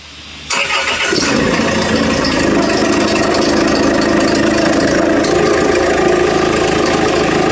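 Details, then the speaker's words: Land Rover Freelander before repair, started and revved: a harsh, gravelly, tractor-like run with a steady mid-pitched drone. Accessory belt noise from a slack V-belt tensioner and a cracked belt. "आप सुनिए। इसे प्राप्त करना आवाज एकदम सही है। Tractor जैसे, व्यास।"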